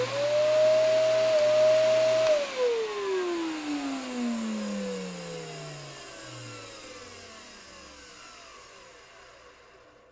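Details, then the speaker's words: Kenmore Progressive canister vacuum 21514 with water damage, reported broken belt: motor whine cuts off and slides down in pitch with rough uneven rumble while winding down; rough motor wind-down, motor sounds unhealthy. "that doesn't sound good"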